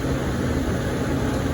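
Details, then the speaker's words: Walk-in cooler (not freezer) that had been holding about 40, with one fan putting out little air and coil running about 12 degrees: steady low hum with soft hiss; box pulled down to 33, satisfied, rose to 38, pulled down again, running normally. "there you go box pulled down 33 satisfied went back up to 38 pulled back down again we're humming"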